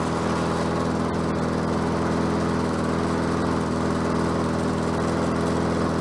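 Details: Bolens 22-inch self-propelled mower with a Quantum engine, on the ground after repair work: steady, even single-cylinder putter at constant speed with no misses or surging; self-propel works and it runs properly.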